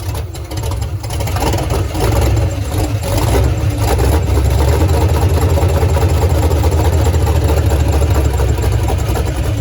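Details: Foxbody Mustang, freshly installed 331 stroker V8 with Comp Cams, T5 manual, first start: heavy, lumpy low rumble settling into a steady idle with no knocking or ticking; running normally.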